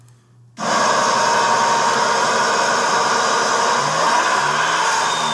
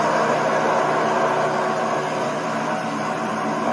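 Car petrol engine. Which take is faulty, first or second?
first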